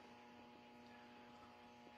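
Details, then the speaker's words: R5000 receiver, noise present before LED street lights came on; steady hum with raspy buzz, suspected to be RF interference from neighbours' LED decorative Christmas lights on either side of the house. "so this was actually all this noise is actually caused by Christmas Elites LED decorative Christmas lights"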